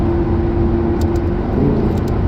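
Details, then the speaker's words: Lamborghini Gallardo LP570-4 Superleggera Edizione Tecnica on a pre-purchase inspection road test: deep engine note climbs smoothly under load at partial and full throttle, pulling evenly with no hesitation, coughs or misfire; responsive and healthy. "Yeah, no, pulls nice. No hesitations, no coughs, no misfire or anything like that to load. Partial throttle, full throttle."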